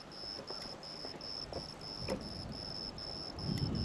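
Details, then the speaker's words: Newly installed solar-powered electric fence energizer switched on: sharp faint clicks about every one and a half seconds over insect chirping, showing the charger is pulsing normally. "hear that click click click oh yeah that sucker's on we're good"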